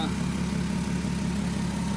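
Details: 2003 VW Eurovan VR6 after timing chain, guide and sprocket replacement, warming up minutes after first start: smooth, steady low idle with an even pulse, no rattle or tapping; normal idle.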